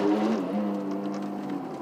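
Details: Ford ZX2 brake groan: under fairly hard braking a low, steady droning groan holds its pitch and fades as the car slows; heard only when braking, cause not yet found.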